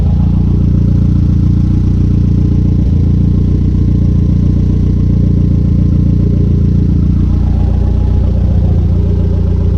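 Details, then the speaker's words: Conquest turbo G54B four, warm idle climbing from just over 180 to 210°F, fans not yet kicking on (temperature switch suspected): a steady, even low idle with a smooth, regular beat and no misses or knocks; a normal warm idle. "So as you can see, it's idling beautifully. Temperature is at a little bit over 180, so the fans should be kicking on soon."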